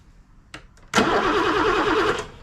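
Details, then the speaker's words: BMW E9 3.0 CSi barn find, first start attempt in over 20 years: quiet cranking clicks, then a rough one-second burst of firing that dies; fires briefly, stale petrol suspected. "that fired with what with what petrol stale could have got some wh for carbo cleaner into it"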